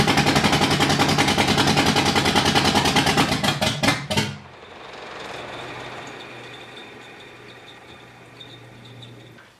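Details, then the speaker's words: Freshly rebuilt Driftstang at first start after the new build, with the water pump just replaced: heavy, uneven chuffing for about four seconds, then it dies and barely runs. Distributor suspected 180° out; plan is to rotate the crank 180° and re-time. "so what we're gonna do now is because it was running so rough we're gonna take the distributor out crank the motor home for a hundred and eighty degrees and then put it back in and see if it runs better and then time it from there"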